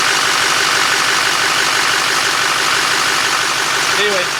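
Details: LMM Duramax diesel idling after new serpentine belt, tensioner and idler pulleys: steady clattery idle with even hiss, the earlier squeak/chirp gone, no belt or pulley noise. Normal belt drive.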